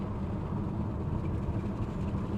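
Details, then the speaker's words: Rebuilt wrecked Audi RS7 on a road test at about 45-50 mph: steady low cruising rumble and road roar with no knocks, clunks or whines; runs normally with no noises or overheating. "looks perfect so I'm super excited to tell you guys that everything is perfect there was no noise no funny noises anything like no overheating or anything"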